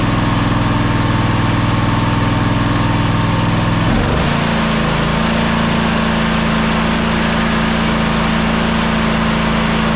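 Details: Toro Timecutter SS5000 zero-turn (model 74731), Toro-branded Loncin engine, after carburettor replacement: drops from fast run to steady even idle around four seconds, no misses or surging; normal.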